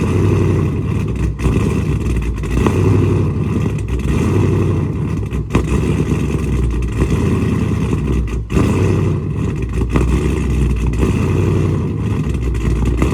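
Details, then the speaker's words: Dodge Charger Scat Pack widebody 392 V8 on E85 tune, after boost-a-pump and 1050X injectors installed (previously running lean), cold start: deep, lumpy idle swelling and dropping over a few seconds; cold-start surge, idle settled after about 1.5 minutes. "It is going to surge on the startup, and then once it gets to like that little idle level, it'll it'll pretty much like regulate itself."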